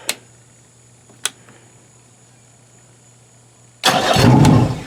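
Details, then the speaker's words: Yamaha outboard (2008 motor, roughly 500–600 hours) after the starter relay was replaced to cure the starter click: two clicks, then it cranks and catches promptly. The clicking is gone and starting is normal. "Oh, yeah. The clicking is gone. We are done."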